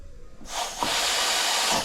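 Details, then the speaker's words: DCI 6310 foot pedal on a dental delivery unit, pressed with all handpieces parked: sharp steady hiss as the pedal goes down; air leaking from the foot pedal, stopping pressure reaching the handpiece and causing power loss. "So that's actually leaking from that foot pedal and that is wrong because it's leaking from that foot pedal. It is preventing pressure from reaching that hand piece."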